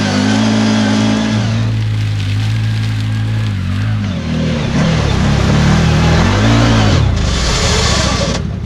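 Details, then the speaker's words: New CFMOTO Z-Force 950 HO EX on its first break-in ride, climbing a hill in low range: engine drone dips and wavers unevenly midway as the drive briefly lets go; the rider says it slipped between gears. Cause not confirmed. "Whoa! It's not supposed to make that noise yet. That slipped between gears and I'm all the way in low."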